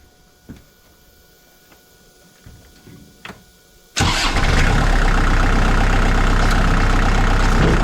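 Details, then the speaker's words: 2002 Kubota MX5000 DT tractor with a front-end loader, leaking hydraulic fluid that is being refilled: the diesel runs loud with a harsh constant squeal over it as the hydraulic pump starves through a clogged filter; steering and loader lose pressure. Fix: change the filter. "so the other thing about this tractor is it's all hydraulic steering PTO implements everything so when the pump starts to make that noise it's not circulating hydraulic fluid it's not pumping up pressure"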